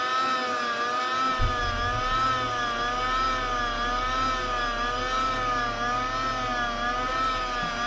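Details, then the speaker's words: 2001 VW Jetta secondary air injection pump during active test: steady even electric hum with clean whine near 1.2 kHz, no air leak hiss; pump itself fine, not the issue. "nice and quiet sounds good it's not leaking air anywhere"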